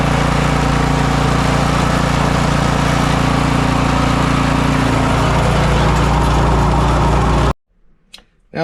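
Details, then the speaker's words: Snow blower single-cylinder engine after replacing worn, stretched auger belt and drive belt, bottom engine cover still off: smooth even drone, no knocks or slipping squeal, then shut off; working properly. "everything seems to be working properly I've reinstalled my bolt here put the spring back on"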